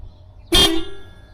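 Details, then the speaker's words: 2006 Toyota RAV4 (ACA30) horn after a missing ground was fixed by adding a ground cable from the horn to the battery: one short, clear horn blast at a steady pitch and full volume; the horn now works properly. "Now, we got a horn."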